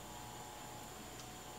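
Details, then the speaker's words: 1951 GE 512F clock radio Telechron clock motor, energized on the bench during repair: faint, steady low hum from its coil, partly from the alarm piece. "You can hear it humming."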